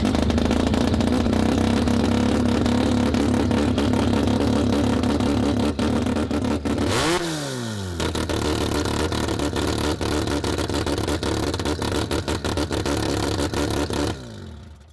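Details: Formula Mazda rotary engine fired up after loose exhaust packing that had been clogging the motor fell out: loud, steady idle with one clean rev blip rising and settling evenly, no popping or stumbling; runs healthy.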